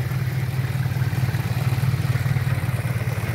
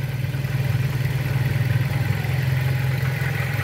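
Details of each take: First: 2001 Pointer Wagon 1.8 idling around 800 rpm, possibly cold, after a tune-up: a low, lumpy idle with an uneven shake that also affects starting. It sounds out of time, with incorrect ignition timing traced via the battery side. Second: Pointer 1.8 engine that idled shakily: after bridging two terminals with a jumper wire to stand in for a missing part, the idle settles to a low, even thrum with no stumbling; the shaking is gone.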